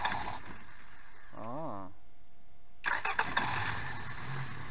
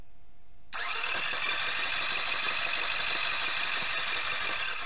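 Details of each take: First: Outboard motor that had been submerged: starter whir and audible high-pressure pump, then catches and runs evenly; smokes a little, normal. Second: Outboard motor that had been submerged, cranked again with spark plugs out to clear water from cylinders and avoid bending a connecting rod; fast, light, even cranking about four beats a second with no compression load, spinning freely.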